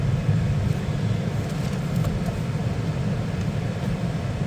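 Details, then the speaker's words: 2012 Toyota Sienna after blower motor replacement, fan on high: smooth, steady low rush of moving air with no whine, rattle or ticking; new blower runs quietly. "That is on high. Nice and quiet. The only noise is the air moving when I let you listen to it before it was on low."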